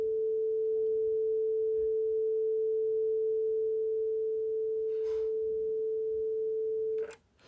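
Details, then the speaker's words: Loewe Opta Rheinperle 4716W tube radio under restoration, 400 Hz test signal injected at the output tube anode: clean steady 400 Hz tone from the speaker without hum or distortion, confirming the output transformer works; normal output stage test. "so if we put here that that signal I expect to hear a 400 HZ tone on the speaker and that will tell us that the output generator is doing fine not the generator the output transformer"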